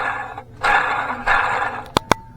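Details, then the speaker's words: Ford 4.6L truck, engine apart with water pump removed; belt tensioner pulley spun by hand gives short gritty growls each turn instead of a quiet spin: worn tensioner bearing; idler pulley also bad. "so once I got the water pump off I went back and I I looked at it some more and I got to look in at the belt tensioner right here doesn't that sound"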